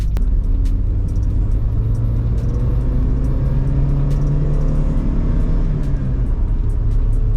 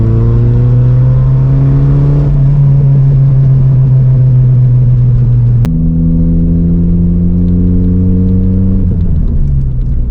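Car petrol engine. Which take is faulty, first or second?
second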